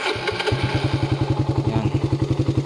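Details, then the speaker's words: Raider 150 street bike with Gen 1 canister exhaust and 51mm big elbow, push-started: catches and settles into a steady deep exhaust thump about eleven beats a second, clean idle; owner suspects a small exhaust leak from a missing screw. "yung tunog ng canister ng pang Gen 1 plus 51mm na big elbow."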